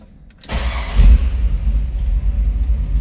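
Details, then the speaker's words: 1934 Ford Deluxe 3-window coupe street rod, V8, 4-speed, cold start: brief crank, V8 catches at once and settles into a low, steady rumble with no stumbling; clean cold start. "All right, tell you what, let's go ahead and we're going to fire this up. Let you hear it run."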